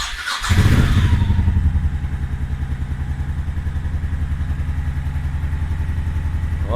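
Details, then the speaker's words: Honda Shadow Sabre 1100 V-twin, first start of the morning, full choke, clutch pulled, carburetors adjusted and plugs clean: starter whirs, engine catches at once into an even loping choked idle of about four beats per second; healthy. "yeah, sounds good."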